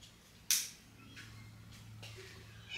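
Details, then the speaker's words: Wrecked 2020 Ducati Panigale V4S, first start after refuelling, with smoke from oil and fuel vapour burning off the engine: a single sharp crack on a quiet start-up with no engine rhythm after it; a backfire on startup of unknown cause. "again it's got a definite uh I don't know it's like a backfire or something you hear that"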